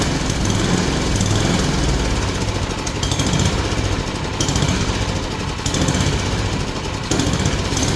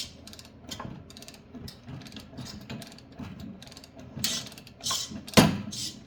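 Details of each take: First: Yard Machine snowblower single-cylinder, previously locked up, flywheel teeth ground down so converted to pull start. After adjustment it chugs steadily with slight speed surges, running on its own and sounding healthy. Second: Yard Machine snowblower auger turned slowly by hand: irregular dry clicks and short grinding rasps as something catches inside the auger gearbox.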